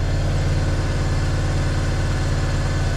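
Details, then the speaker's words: BMW E36 316i Compact M43B16 after replacing the noisy water pump, pulley and belt, jump-started: smooth steady low idle hum, rattle gone; a hissing from a suspected vacuum leak is now noticeable. "We got a new time uh new belt. Wow. Hear hear the engine. It's working fine."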